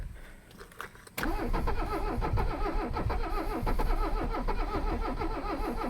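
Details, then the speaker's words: Abandoned Mercedes 300CD diesel being started with ether sprays and relay clicks: after a sharp catch it runs as a lumpy, uneven chug and fires irregularly; a misfire, and the owner suspects too much ether or flooding with the accelerator. "yep it's getting angrier i might be giving her too much ether i might be flooding her with the accelerator i don't really know"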